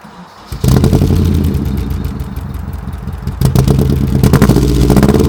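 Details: 1991 Nissan 240SX at idle: uneven, stumbling idle with irregular chuffs and a shaky beat, then a couple of blips. Misfire is caused by the distributor cap and occurs intermittently, about once every two weeks.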